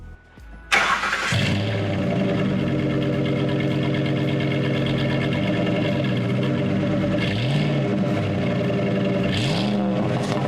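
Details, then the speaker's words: 2005 Ford F-150, about 230,000 miles, just after installing MBRP 3-inch cat-back exhaust on factory hangers: starts cleanly, deep steady idle with two smooth blips, no rattles or buzzing; sounds great compared to the factory pipe; normal. "well viewers there you have it that's how you install a catback exhaust on the knoll 5 f150 it sounds great compared to the factory pipe"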